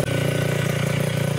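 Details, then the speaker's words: Yamaha Touch 125 after engine rebuild, run-in test while being washed: smooth, even idle, steady low exhaust beat with light pipe ring; earlier clattering and knocking gone completely. "Kita dengarkan suaranya perbedaannya dari yang kemarin itu loh, kelatak-kelatak, klotok-klotok, hilang total. Yang terdengar cuma cering-cering kanal potnya itu."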